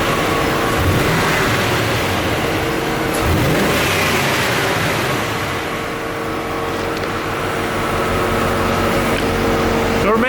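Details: Corvette C4 being revved: exhaust note stumbles unevenly about three pulses a second; cylinder one misfiring, injectors swapped and air-fuel ruled out, compression issue suspected pending a compression test.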